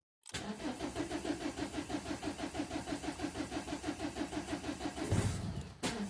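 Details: Ford Mondeo Mk4 1.8 TDCi diesel, cold start: long cranking at about three uneven beats per second for roughly five seconds before it catches; hard cold start.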